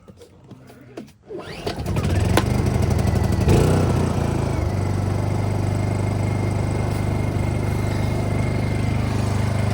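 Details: Honda EU2000i generator after cleaning a badly gummed carburetor and fitting a mod that separates the ignition switch from the fuel shutoff: it catches after a couple of pulls and settles into a smooth, even hum with no misses.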